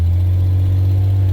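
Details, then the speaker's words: Vehicle with cracked exhaust manifolds, on a test drive after a taped exhaust repair: a deep, steady, even drone with no rasp or leak puffing, much quieter than before when pulling out and accelerating; a new pipe is still planned. "oh it's a lot better way better that's a lot better because we usually when I pull out of the driveway and hit the gas it's like [Music] that's manageable for now"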